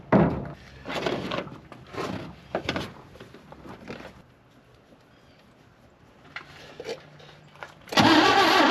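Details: 1960 Chevrolet Bel Air, off the road 45 years, fuel fed from a boat tank to the original fuel pump: uneven cranking bursts about two turns a second with no firing; old pump failed and was replaced; cranks but no start.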